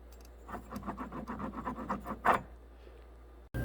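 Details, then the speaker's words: 2008 Toyota Highlander 3.5, removed water pump that had been leaking and growling: turning its shaft by hand gives a gritty, ratchety rasp about eight times a second; the bearing has failed. "the water pump's been leaking for a while and you can hear how rough it"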